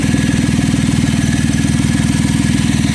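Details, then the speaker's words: Chevy Traverse on remote start, idling: loud raspy unmuffled puffing about four pulses a second from an exhaust leak where the weld on the exhaust bracket broke off, leaving a big hole; owner plans to weld it back. "So once we weld it back, the sound is going to get better."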